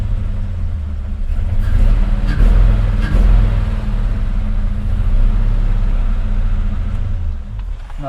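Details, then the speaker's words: SN95 1995 Mustang V8 after new injectors, fuel rail and TPS: stumbling irregular running; cylinders 7 and 1 cold, so fuel delivery ruled out, spark suspected; misfire from dead cylinders. "No, that was worse. Well, I can tell you number 7 is pretty much cold, and number 1 is cold. It shouldn't be injectors now."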